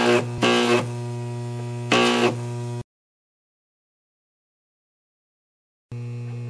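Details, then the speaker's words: Large deshunted microwave oven transformer powered for arc testing: steady heavy mains hum with harsh crackling taser-like bursts, then cuts out; internal arcing from secondary to core or elsewhere. "okay that's not a pleasant sound it sounds like there's a taser inside there just sparking and I do know that sound that sound means there's sparking from either the secondary to the core or you name it"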